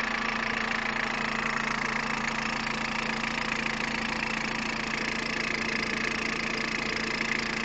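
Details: 2002 Peugeot 106 1.5 diesel, 130,000 km, timing belt done at 73,000 km: a steady idle with a light, regular tapping about three times a second on top, a knocking noise at idle of unknown origin.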